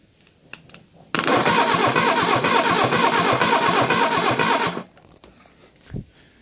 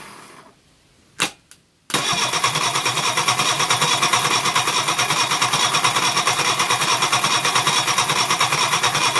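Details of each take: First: Reliant Fox engine, unrun for a few years, cranked on the garage floor for a compression test with the throttle wide open. The starter spins unevenly and it never fires. Cylinder 4 has no compression (others about 160); valve clearances are being rechecked. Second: Reliant Fox engine, unrun for years, first start on the garage floor after ignition improvements, running on the fuel in the float bowl with the block filled with Coca-Cola. Two cranking bursts, then it catches into a fast, even, crisp idle with no knocks: normal running.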